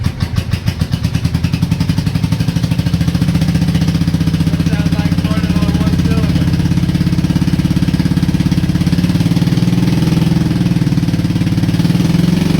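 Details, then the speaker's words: Honda Shadow twin ridden 20k miles on the same oil, parked 4 years: just after starting, firing stumbles and lopes, possibly on one cylinder, with a backfire, before a lumpy idle; sticking valves suspected from no oil changes. "You can see that backfire I just did a little minute ago. I think that's the sticking valves from no oil changes."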